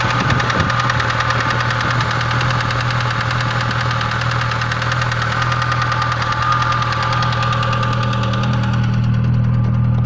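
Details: VAZ classic (Lada) petrol engine at idle: loud steady knock about three times a second, connecting rod knock that returned after the rod bearings were redone; compression 15 on all cylinders; crankshaft sent for grinding.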